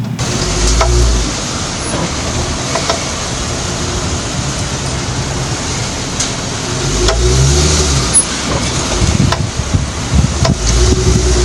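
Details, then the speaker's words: Dodge Charger, tires 225/60R18 correct: sharp clicks and low clunks from the rear when shifting between drive and reverse; diagnosed as an internally defective rear differential (RDU) plus a leaking rear propeller shaft joint, both needing replacement. "This is the Dodge Charger drive and reverse clicking noise. See the noise."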